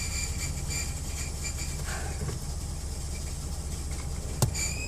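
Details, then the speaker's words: 1995 Dodge Dakota 3.9 five-speed 4WD, 15,xxx miles: idling truck with a rough, pulsing high chirp while the clutch pedal is held down in gear, worse when driving; owner suspects the throwout bearing, unconfirmed. "I put it in gear and I press the clutch and I get this noise"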